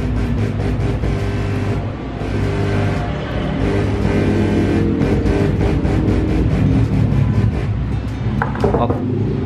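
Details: Active subwoofer amplifier, dropped and previously humming, after replacing the driver transistor and a small 25 V 10 µF electrolytic capacitor: strong, clean bass pumps steadily at full volume with no hum or crackle; amp now works normally.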